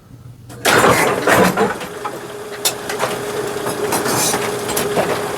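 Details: Brunswick GSX pinsetter cycling after its stroke limiter shock absorber and worn top plate bushings were replaced: it clunks into motion, then settles into a steady motor hum with light, regular clatter and no banging; it cycles cleanly.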